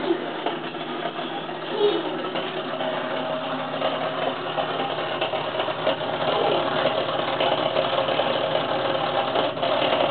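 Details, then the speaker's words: Dishwasher, drain line not clogged, reassembled after pushing through the drain with a turkey baster: rough, uneven grinding hum with a loose irregular rattle over the motor drone, and no water coming in or out; cause unknown. "It's not clogged, but I just put the dishwasher back together thinking maybe it might have knocked something loose, some loose debris or something, and trying to run it, and it's making this noise."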